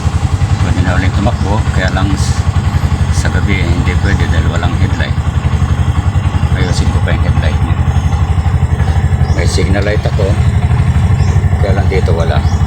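Single-cylinder engine idling evenly at a steady putter, around four beats a second, with some street clatter behind it; runs normally.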